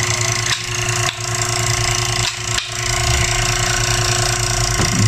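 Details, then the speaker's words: Old-style KDK wall fan running before repair: steady motor hum with a continuous buzzy rattle from a loose rotor with bearing play; the rotor noise won't go away though the motor is still good, so the capacitor gets replaced. "Hindi mawawala yung tunog niya. Nandun sa nasa rotor. Maluwag."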